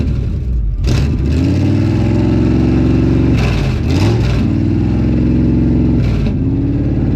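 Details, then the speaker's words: Healthy 52 Ford rat rod V8 left running a few minutes with fluids checked and oil good, exhaust coming out the fenders instead of the stacks, loud lumpy idle, then three quick throttle blips rising and falling cleanly. "um yeah I can't believe how well that thing just started right up so perfect"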